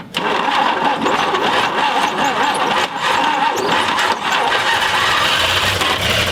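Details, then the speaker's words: 1959 Chevrolet Apache truck that sat 40+ years, first start attempt: repeated cranking with brief sputters that never catch, despite oil pressure and fuel poured in; suspected it needs a constant fuel flow to run. "but it just ain't gonna do it well i think it might do it with uh maybe some you had some constant flow of gas to it"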